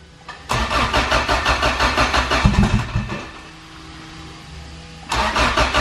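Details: Acura GSR sleeved B18 engine with new filters, on a jump box and given some gas: the starter spins the engine at a steady, quick chug for a few seconds without catching, pauses, then cranks again; cranks but won't start.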